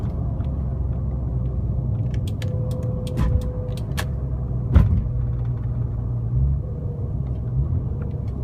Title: ES300 1999 Whine noise